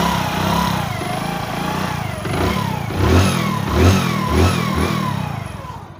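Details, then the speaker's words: Hero HF Deluxe motorcycle after its timing chain problem was fixed: the engine idles evenly and rises and falls cleanly on throttle blips, with the earlier clicking from the top end gone. "याद है वो click करने की आवाज कैसे आ रही थी? अब हमारी समस्या पूरी तरह से हल हो गई है।"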